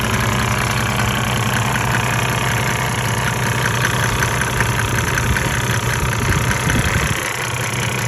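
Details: 1998 Mercedes-Benz E300 OM606 diesel, 185,000 miles, hot, at 9,000 ft, before Diesel Purge, smoking: irregular knock of about 2.5 beats per second over a lumpy low drone; rough idle, owner suspects injectors.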